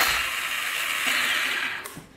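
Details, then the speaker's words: Polaris 500 4x4 ATV that won't start: high, fast whir of the starter spinning freely without turning the engine, then winding down. The owner suspects the previously tampered starter gear/drive is not engaging; cause not confirmed. "I'm guessing it's like spinning but not catching is what it sounds like to me you can hear the starter spinning"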